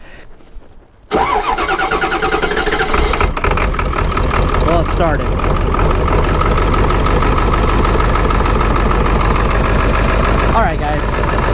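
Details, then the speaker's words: Ford 7.3 Powerstroke V8 diesel: cranks then catches into an uneven, lumpy idle, skipping along and not hitting on all eight; truck shakes badly. Rough running misfire. "I can hear it just kind of skipping along there not hitting on all eight perfect"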